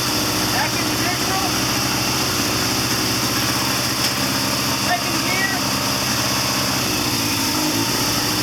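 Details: 1979 Triumph Bonneville T140D Special, first start after the seized clutch was freed. Loose, lumpy twin idle in neutral with an open, unfiltered intake note, running steadily. Healthy though not yet tuned; normal idle.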